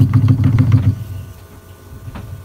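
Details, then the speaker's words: Car suspension: a quick string of dull low clunks as the steering wheel is turned, then quiet. The speaker says this usually comes from the shock absorber assembly (damper, spring or mount); the cause is unconfirmed. "अगर आपकी car में steering काटने में कुछ इस तरीके की आवाज आ रही"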